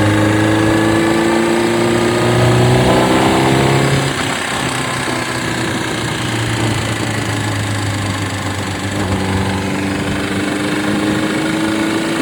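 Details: Honda CBR600RR PC37 four-cylinder bike revs, then settles to idle with a steady tick-like patter over the engine note; a strange mechanical noise of unclear source.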